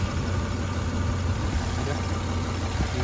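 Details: 1998 Toyota 4Runner petrol engine idling low and slightly uneven with a misfire stumble. Check engine light was flashing and misfires were on cylinders 1 and 4; swapping the shared coil did not move the misfire from cylinder 4. The injectors were eventually replaced.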